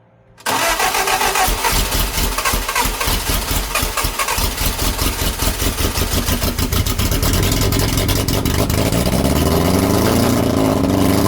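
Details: Lotus Europa Twin Cam with 123 Ignition distributor after distributor adjustment, valve clearances off, Stromberg carbs spitting back: cranks, catches, then coughs and fires unevenly before settling to a ragged idle; rough running, cause not confirmed.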